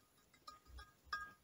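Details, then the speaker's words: 1975 Triumph Trident T150V cylinder head on the bench: sharp metallic pings as an inlet valve is rocked in its guide, showing worn valve guides with excess play. All guides are to be replaced. "i've got an inlet valve here just going to push it nearly for it as hopefully as i can and yeah there's a fair bit of rock on it"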